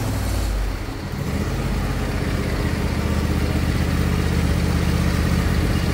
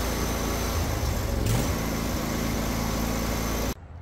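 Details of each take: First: Husqvarna 22V46 riding lawn tractor, bought as smoking with suspected head gasket failure, parking brake on, 12.5 V battery: small engine cranks and catches quickly, settles into an even steady beat, then revs smoothly; charging system working, headlights brighten with revs. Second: Husqvarna 22V46 riding lawn tractor, engine running: a dry, rough whirring appears when the parking brake is released and stops abruptly when the belt unloads; owner was 99% sure the worn drive belt idler bearings cause it.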